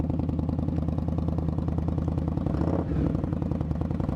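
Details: Indian Scout motorcycle after repair of a catastrophic fan failure (fan magnet broke up into shards and jammed; bearing fine), idling in neutral while watching temperature: steady, even low thumping idle, about three pulses a second, no ticks or knocks; sounds healthy.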